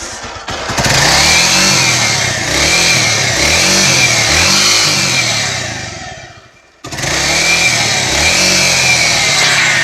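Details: Motorcycle engine blipped repeatedly with a harsh metallic clatter over the revs; a newly appeared strange noise, owner expects to open the whole engine, not just the top end.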